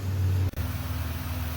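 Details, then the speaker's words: 2008 Chevy Impala on test drive after power steering work: low steady engine hum with no whine; power steering pump now quiet and steering smooth, noise gone. "power steering is working super smooth and no winding noise at all nice and quiet and everything works just how it should"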